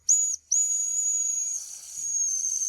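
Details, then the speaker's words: Mamod Steam Wagon at shutdown with the fire dying down, pressure relieved by holding the whistle as water and steam come out: short shrill blast, then longer steady high hiss-whistle. Normal boiler venting. "the way I relieve pressure is just you see see the water coming out hold the whistle see all the smoke coming out of it it's steam"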